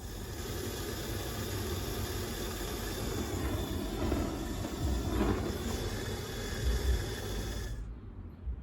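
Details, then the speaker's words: Well-used Bullfinch propane brazing/roofing torch with perished hose and 1 bar regulator, run on an old propane tin after a leak-spray check, rested on the bottle: steady even low roar with soft hiss, no sputter or popping, then cut off; burning normally. "Yeah, sounds like it's working. Good."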